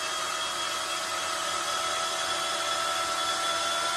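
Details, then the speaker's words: Cordless drill driving a self-feeding auto burnishing tool pushing a 35.13 mm helical die through a fork; high, steady whir as the drill stops bogging and the load eases near the end of the cut. Normal run under light load; battery should be well charged. "Now, you can hear it's letting up. You want to make sure that your battery on this thing is nice and charged so it can handle this."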